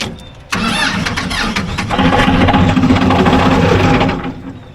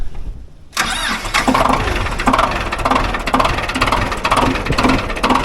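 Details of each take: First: Ford 2120 diesel tractor that sat for years, first start without glow plugs activating: quick crank, fires and climbs to hard high-rev roar, never settling; throttle cables rusted tight, stuck wide open; loose injector squirting diesel. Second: Ford 2120 diesel tractor that sat for years, started in neutral the next day without glow plugs: brief crank, catches at once, settles into steady even clatter, no warning lights; healthy cold start.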